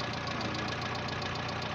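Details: Renault 9 at a steady idle with a faint, even tapping once per engine turn; a knock whose source is not yet pinned down, owner suspects the bearing shells (liners).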